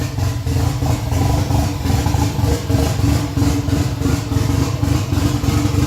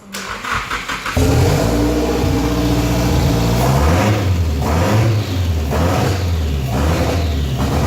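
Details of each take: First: Freshly rebuilt Nissan 180SX SR engine, first start after 10 months, no exhaust and intercooler piping not hooked up: loud open-pipe idle surging and sagging about once a second, lumpy and uneven; hunting idle from disconnected intake piping. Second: Freshly rebuilt engine, first start after 10 months sitting, not fully hooked up: short crank, fires immediately into steady smooth idle with clean throttle blips; normal start and idle.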